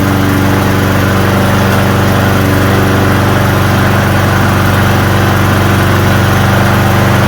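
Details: Hyper Tuff small single-cylinder engine after carburetor cleaning and reassembly, with water in the gas suspected as the culprit: a steady, even chug at constant speed with no misses or hunting; it now runs smoothly.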